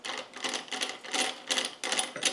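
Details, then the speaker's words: Old Land Rover LT230 centre differential reassembled dry, with no oil and missing or too-thin thrust washers/shims, turned by hand: loose, uneven metallic clatter, wobbly and loose gear play; worn thrust washers. "that's the noise it would have been making terribly yeah all sort of wobbly and loose"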